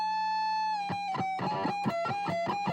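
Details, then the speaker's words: Guitar after the high fret was filed down with a fret file and the strings retuned: high notes and bends ring out clear and sustained, no longer fretting out or buzzing. "Now, with the strings back on and tuned up, well, the strings are never off, but now it's tuned up and everything we can hear now, when I hit that note, it rings out just fine."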